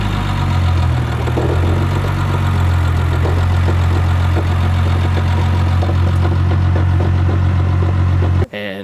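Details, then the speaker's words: BMW 325i with a swapped-in N52 engine of unknown year, at idle: a loose, uneven, almost diesel-like metallic rattle, with delayed intake timing codes. The cause was a loose intake cam gear from sheared VANOS bolts, a recall item. "this problem occurred a while ago where I'd have this this kind of rattling sound"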